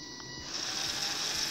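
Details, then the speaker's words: Arduino Bluetooth robot with small gear motors driven by an L298N driver at 7 V, running at about 65% speed: a steady high gear whine of even pitch with no rattles; normal running at reduced speed. "but we can still use the robots not on 100% speed though I'm going to enable these it's at like 65% speed right now"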